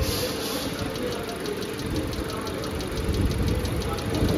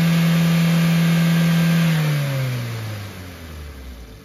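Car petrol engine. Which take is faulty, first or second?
first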